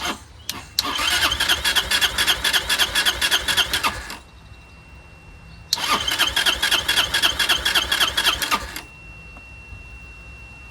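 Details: Curb-found Chinese 150cc Moto Cooper Revo/CF Moto scooter, ignition hot-wired (spark confirmed): two bursts of fast even starter cranking, about three seconds each, never catching; owner suspects fuel delivery problem, fires only when primed.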